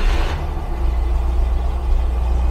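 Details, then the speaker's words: 1972 Rover 3500 P6 V8, off the road 12 years, on choke after ignition work restored weak 9-volt spark, before carb check and timing. Deep, steady rumble with no misfire or knock, running better than before; normal idle. "Yes. I actually think that is running better than before."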